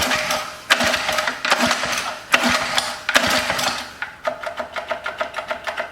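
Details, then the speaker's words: Antique Lawn-Boy edger engine after carb cleaning: rapid uneven clicking and scraping rising with revs as the dented cooling fan hits its shroud cover; fix attempted by loosening screws and lifting the cover. "yeah this cover is hitting let me try loosening the screws up and pulling up on the cover a little bit"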